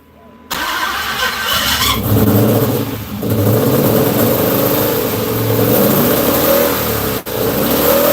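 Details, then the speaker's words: 2005 Dodge Magnum RT 5.7L Hemi after exhaust hookup, long in repair: fires up and revs, then idle sags and lurches, nearly dying; rough idle from vacuum leak, codes being scanned. "It doesn't want to idle. Yep."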